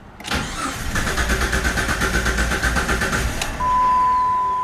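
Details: Vehicle that shut off while driving and sometimes wouldn't restart, died after test drive: starter cranks with uneven chug, briefly catches then dies with a chime, no rpm change on dash; points to faulty crankshaft position sensor.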